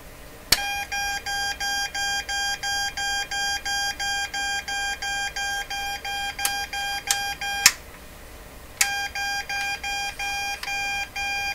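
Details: Morse Writer keyboard keyer for ham radio, heard through headphones on power-up: high, clean beep repeating about three per second, pausing, then restarting with no input; slow/fast button found stuck down, suspected cause.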